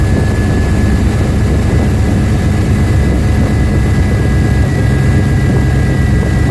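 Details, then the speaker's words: 1994 Suburban LS swap, bored intake and throttle body, cold start after a TPS sensor swap. Steady, even drone with a faint constant whistle, idling slightly high at about 1000 rpm, expected to fall when warm. "Well, it's still idling a little high at about a th00and, but it might go down a little warm"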